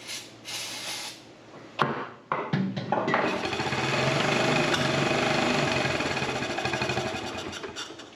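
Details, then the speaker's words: Honda Fourtrax TRX70 quad revived after sitting years in a barn, with a junky air filter; a few pops, then rough, uneven chatter rising and fading as it runs briefly on starting fluid. "I'd say that qualifies as a run, wouldn't you? Okay, well that works. So it runs."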